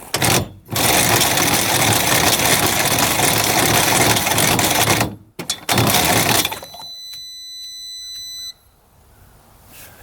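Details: 1998 Air Commander 3 hovercraft (100 HP) after reassembly, battery charger connected: harsh steady starter grinding for several seconds while cranking, a short second burst, then a fading whine; no spark, engine never fires, starter very hot. Owner suspects something broken in starter.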